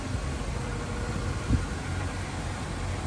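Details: Honda S2000 idling after a customer-supplied Spoon clutch install: a low, smooth, even idle hum with constant fan hiss and no knocks or rattles. Normal idle.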